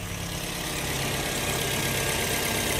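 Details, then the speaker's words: Toyota Vios NCP93 after fan belt replacement, heard up close in engine bay: smooth even idle with no chirp or squeal; cold-start belt chirp cured. "Alhamdulillah hilang bunyi. So settle masalah untuk belt ni."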